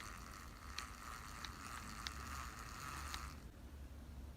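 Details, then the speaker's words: Abu Garcia Catfish Special reel turned by the handle: a steady whirr with a faint tick about every two-thirds of a second. The gears feel rough and grinding, possibly from the extra bearings or imprecisely cut gears. "so the gears I don't know why they feel a rougher then on this rail is it just the extra bearings or they're not cut as precise as on this rail but the gears are disappointing"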